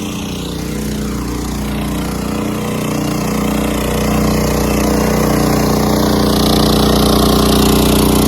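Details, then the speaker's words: Generator powering the home air conditioner through a newly installed soft start kit, running at only 50 percent of capacity: engine settles into a steady, even hum as load comes on, no hunting, surging or knocking; normal running under load. "that's only running at 50 percent of capacity and that's mine that's my air conditioning"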